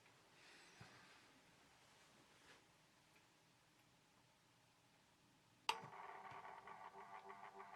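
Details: Horstmann VA Mk9 SRS2 rate changer time switch, 240V 50Hz synchronous motor, just plugged in: soft steady whirr with light ticking, because the 15-day spring reserve was unwound and is winding; normal, not a malfunction.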